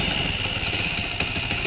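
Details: Motorcycle engine after a rebuild: a steady high-pitched whine with light clatter over the idle that stops when the clutch is pulled. Suspected clutch-side gear noise, to be fixed by opening the clutch side.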